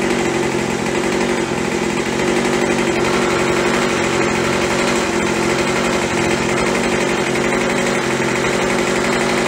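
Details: After carb cleaning, carb kit and trigger modification so throttle fully opens and closes, Craftsman (MTD) B2000 25cc two-stroke blower (had "wont stay running") warmed up, idling about 2700–2800 rpm (~7400 WOT): steady, even buzz, no surging or sputtering; fixed, running normally.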